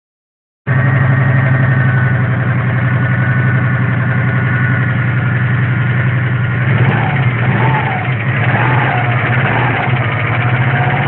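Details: Steady idle with a dull, even engine knock that keeps pace with engine speed and quickens slightly as revs rise.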